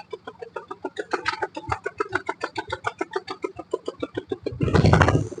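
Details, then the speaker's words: Mahindra KUV100 with misfire, worse with AC on, low pickup: uneven puffing heard at the silencer at idle, a tak-tak-tak beat about three to four per second, rougher blast when revved; one cylinder misfiring. "നല്ല രീതിയിൽ ടക്ക് ടക്ക് ടക്ക് എന്ന് അടിക്കുന്ന sound ആണ് ആ കേൾക്കുന്നത്"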